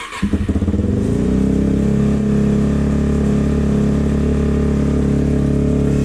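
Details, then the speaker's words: 2004 Suzuki DRZ400S after a carb clean and new fuel-screw o-ring, warming up on choke: the single-cylinder thump hangs instead of dropping to idle, with uneven backfiring. It's running very lean and needs richening. "Sounds even worse. You hear that hanging idle and backfiring? It means it's running really lean."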